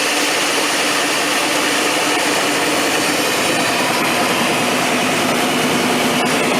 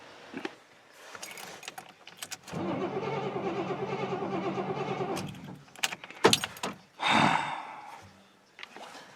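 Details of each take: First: 3/4-ton 4WD square-body GM Suburban V8, long off the road, started after jiggling the ICM wire: steady, even engine hum without stumbling or misfire; running cleanly, not yet warmed up. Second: Square-body 3/4-ton 4WD Suburban V8 with a replaced ECM: the starter spins evenly for about three seconds but it never catches. The distributor signal isn't reaching the injectors.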